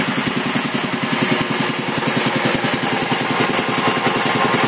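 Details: 1975 Quincy QR 325 compressor, converted from 3-phase to a GE 5HP single-phase motor, pump slowed from 796 to 621 rpm to keep amps down; steady, even pumping thump over motor hum as pressure builds smoothly. Healthy, normal running.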